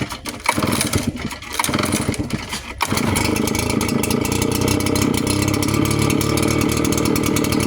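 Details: Redmax 7500/8500 blower after new fan install (old fan loose, vibrating): a few sputtering pulls, then catches after three seconds into smooth even buzzing run; vibration noise gone, running fine.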